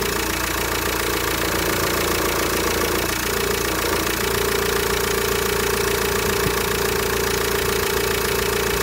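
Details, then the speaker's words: VW Transporter T5 1.9 TDI diesel, 2005: idle clatter with a steady mid-pitched whine from a failed power steering pump, mechanism damaged, no oil leak; fix is a new pump with original green hydraulic fluid. "ne yapılması gereken yeni bir direksiyon pompası ve bu araç için yeşil renkte orjinal direksiyon hidrolik sıvısıyla değişimidir"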